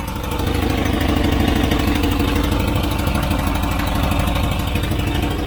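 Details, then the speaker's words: 1992 Volvo 240 Classic wagon with water in oil and suspected blown head gasket: steady low idle with loud, raspy exhaust burble; loud exhaust needing a new exhaust, head gasket not clearly indicated by sound. "Oh ja, es braucht einen neuen Auspuff. Ja, ja weil es so laut ist."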